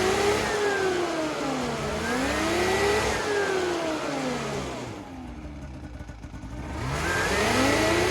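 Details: Ski-Doo Rev-chassis two-stroke snowmobile after fresh fuel with XPS Carbon Free additive and new oil: revs rise and fall smoothly through several throttle sweeps, no bogging or misfire; normal revving.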